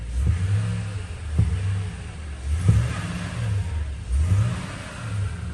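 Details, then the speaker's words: 2012 Toyota Tundra V8 after a new thermostat, water pump and valve cover gasket, lightly revved during coolant bleeding. Deep rumble with gentle throttle blips rising and falling back cleanly. Sounds healthy. "So I'm revving it up a little bit guys, not too hard, just a little bit."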